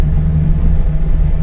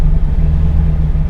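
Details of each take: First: V8 truck after a cam swap, tuned with HP Tuners. In gear the lumpy idle wobbles as timing swings into the negatives, while park and neutral hold a steady 25 degrees near 800 rpm. Rough idle from torque-management spark retard. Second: Cammed V8 truck after HP Tuners idle tuning: idling in reverse with the computer targeting 800 rpm, timing holding 25 degrees; deep lumpy rumble, steady without stumbling or hunting.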